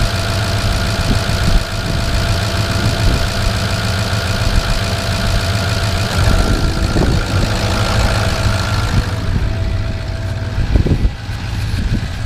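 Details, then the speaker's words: 2005 Ford F-350 6.0 Powerstroke diesel after new IPR valve and replaced injector: loud even diesel clatter at steady idle, no misses or stumbles; running better than ever. "This thing's actually running better than it's ever had before."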